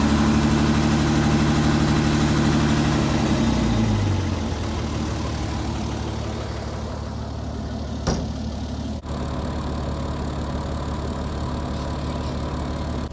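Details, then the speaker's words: Roughly 60-year-old International 6x6 army truck, sat about 10 years, suspected retrofitted crate engine: smooth even idle with no piston, gudgeon pin or tappet rattle before winding down; normal idle. "Just the way it runs, you cannot hear any any piston rattle or gajon rattle. Can't hear the tapets rattling. Everything's just just running just like a brand new engine, I'd say."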